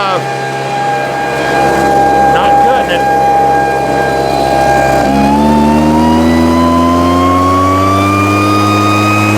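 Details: Husqvarna 150 BT backpack blower after fixing bogging/no-start (customer had misrouted fuel lines, wrong tank grommet; tank grommet and fuel lines replaced, routed correctly), started with a little choke: steady high buzz climbs cleanly in pitch as throttle opens, no stumbling or bogging; normal revving.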